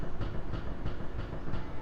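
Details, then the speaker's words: 1988 Honda CRX, steering wheel rocked back and forth while stationary: dull low clunks about three per second from a worn inner tie rod with play; other side worn without play, this one worn out and dangerous, must be swapped. "So that side, it's worn, but there's no play, so it's gonna need it. But this one is worn out and it's dangerous, so it's got to get swapped out."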